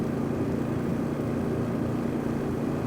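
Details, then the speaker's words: Honda generator at low idle, used as a comparison. It gives a quiet, steady low hum at constant pitch with no surging or rattles; a healthy idle. "And because everybody always wants to compare everything to Honda, this is the Honda at low idle."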